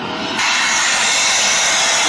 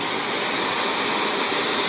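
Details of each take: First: Shark vacuum after cleaning the screen and emptying the bin, hose path checked: motor runs with a loud, high, strained sucking hiss that holds steady, still not vacuuming well; blockage remains deeper, next suspect the clogged particle filter. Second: Shark vacuum running with the hose taken off: steady, even high rushing roar with no surging or pitch drop, sucking noise gone; normal suction, so the restriction lies in the hose path or lower down.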